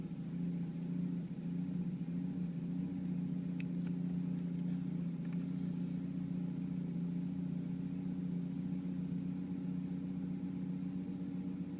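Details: 1991 Volvo 740 turbo petrol engine idling with a lumpy, uneven beat and wavering drone; swapping the radio suppression relay with the cooling fan relay confirmed the faulty radio suppression relay caused the rough idle.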